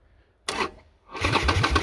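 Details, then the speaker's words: Harley-Davidson Sportster won't start, no fuel pump prime heard at key on; starter spins engine fast in even beats with no firing, likely no fuel from a failed fuel pump relay, swap with the identical starter relay to test. "If it turns over real fast, chances are you ain't getting fuel because your fuel pump's not turning on. That'd be one of these two relays down here."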